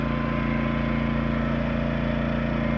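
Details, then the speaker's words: Yamaha 2000is inverter generator running beside a Honda 2000 before attempting to start a trailer's 13,500 BTU A/C with Hyper Engineering Sure Start; steady even hum with fine regular pulse, tinnier than the Honda's deeper tone; normal running. "the Yamaha has a little bit tinnier sound I would say and the Honda has more of a I don't know maybe a deeper tone to it just my opinion not that it matters much"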